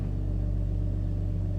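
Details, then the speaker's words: 1995 Mercedes E320 wagon straight six in reverse after new engine mounts were fitted: low, even rumble, steady and free of rattle or buzz. Much quieter than before, though an exhaust leak remains. Engine runs smooth. "oh that is so much quieter there's nothing rattling anymore"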